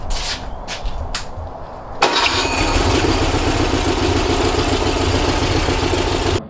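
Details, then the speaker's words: First start of a freshly rebuilt 1835cc air-cooled engine for a bus, fitted with a vintage speed muffler, with fuel, oil pressure and battery checked beforehand. A few cranking bursts, then it catches cleanly and settles into a steady, even run with no knocks or skips. It ran with no real problems. "it ran successfully with no real problems. Time to load it up and send it home."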